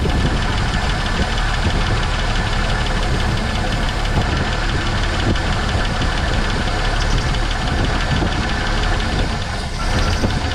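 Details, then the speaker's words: 1970.5 Ford Falcon that sat 28 years in a junkyard, first start with fresh gas: old V8 holds a fast, even idle with a crisp rattle, no misses, smoke or blow-by; it later fails to pick up fuel, and a dead fuel pump is suspected. "She ain't picked her up yet. Well, it runs. It runs awesome."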